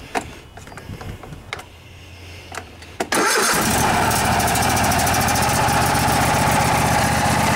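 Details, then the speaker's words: Kohler Courage 26 hp twin-cylinder on a Craftsman DGS 6500 riding mower, after sitting years, carburetor rebuilt without replacing float valve: cranks briefly, catches at once, settles to steady even idle; running normally. "looks like that carburetors doing the trick even without replacing the float valve"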